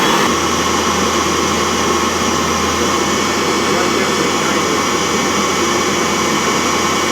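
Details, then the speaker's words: Laundromat gas water heater whose fan motor had fried, firing up at its set temperature; draft damper tested fine. Steady, even rushing roar from the fan and flame with no surging or rattles: burner and blower running normally. "Alright, it's firing up. That's the temperature it's set at. Ooh, hear the fan? And we get a flame in here."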